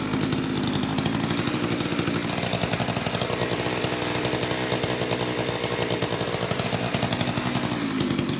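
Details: Old Craftsman two-stroke chainsaw after long storage with a gunked carburetor, cold in a shop of high 50s to low 60s °F, mixture screws untouched; fast even putter at steady idle with no stumbles or surging, good compression.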